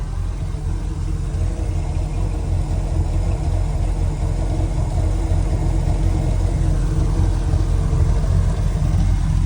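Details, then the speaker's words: 2003 Bayliner 215 Bowrider, stern drive V8 on trailer, cold start warming up with a little throttle: deep, steady low rumble at an even pace, no knocks or misses; normal healthy idle, original alternator charging. "Just give it a little bit of gas. I like to put it at about 1,100,000 on the trailer. Let it warm up."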